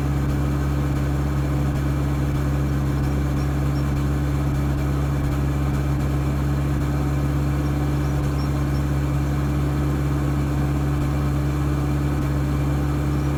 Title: 4D56 Rough Idle & Excess Smoke